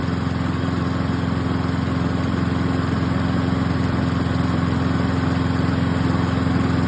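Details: Cheap used Toro lawn mower after fitting a new carburetor, spark plug, air cleaner and fuel shut-off: a crisp, even single-cylinder putter at steady speed without surging or stumbling. It runs properly.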